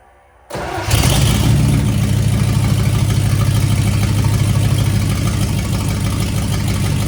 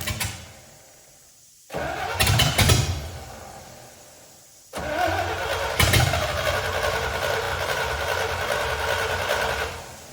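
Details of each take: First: C65 dump truck with a replacement V8 and transmission, new Holley carburetor and electric Holley fuel pump, first start in 10 years: brief crank, then catches and settles into a steady, even low idle; normal start. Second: C65 dump truck with a carburetor swapped in from a Ford 300. It catches, stumbles and dies, then restarts running unevenly with a wavering note. Fuel-starved.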